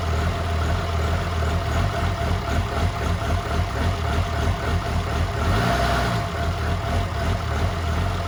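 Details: 2007 truck with a freshly swapped 1400hp 6.7 diesel at first fire, downpipe only, on low 10.5 V: a deep, steady idle with a faint uneven lope. The 14 mil is thought to give the chop; otherwise the engine is healthy.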